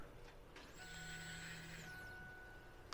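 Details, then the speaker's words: 2000 Ford F-150, old fuel pump bench-tested in the new housing with ignition on: quiet electric whir with a steady hum runs about a second then stops; the pump moved, test successful. "Successful test. The pump actually moved."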